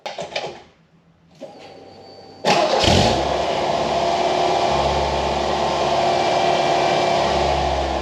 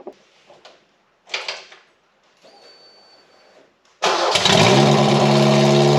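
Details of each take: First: 1989 Ford Mustang Foxbody four-cylinder after the injector rebuild and a new cheap exhaust with a home-welded muffler: it catches on the starter and settles to a steady, even idle with a deep, smooth note and no leaks; idle was still extremely high before the IAC reset. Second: 1989 Ford Mustang Foxbody four-cylinder just after its fuel injectors were cleaned and rebuilt: it fires after some handling noise and holds a fast, loud, raw idle through the terrible original exhaust; idle is high.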